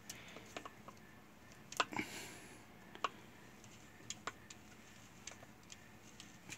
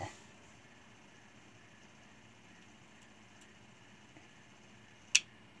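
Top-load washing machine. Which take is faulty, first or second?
first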